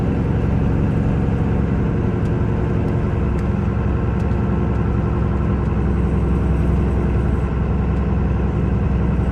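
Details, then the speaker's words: 1994 Dodge Ram 2500 4x4 with a 12-valve 5.9 Cummins diesel, 122k miles, accelerating uphill through the 5-speed manual gears: steady low rumble under load with no knocks, rattles or grinding; healthy. "We'll take off and head up the hill so we can hear the 12 valve 5.9 run, as well as put this 5-speed manual through all the gears so you can hear for yourself how there's no issues with anything at all."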